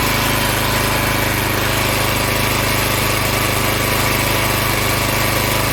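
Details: Log splitter Briggs & Stratton engine 126T02 after repair: carburetor cleaned, speed set to about 3100 rpm spec, valve underneath two turns out from seated. Holds a steady, even governed speed under load, no hunting, misfire or stalling; running much better.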